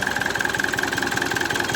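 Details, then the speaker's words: Opel Vectra C Z19DTH diesel, rebuilt after an accident with repaired wiring, after the contaminated fuel filter housing was swapped for a donor's: lumpy, lopsided idle beating about five times a second. Only two cylinders are firing and it is close to stalling. "На двух циліндрах вообще глохне."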